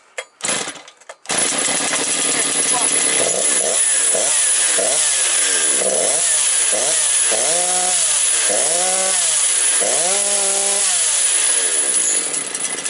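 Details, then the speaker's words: Motor Sich 475 two-stroke engine just rebuilt, cold outside, extra oil in fuel, new rings bedding in; idle hunts about three times a second, won't hold even with idle raised, sags toward stalling, floods; owner blames the carburetor. "зараз заглохне бачите Навіть якщо я підкручу трошки холостий вона буде мати завишені оберти але Слідкуйте уважно що у нас за тих завишених обертів потім буде зараз скидувати і заглохне"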